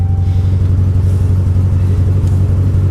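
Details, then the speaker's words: 200,000-mile Ram truck at auction: heavy low idle with uneven throb about four times a second, slight backfire, flashing dash lights, strong raw gas smell; running rough, cause unknown. "well that didn't run well it even sounded like it backfired a little bit"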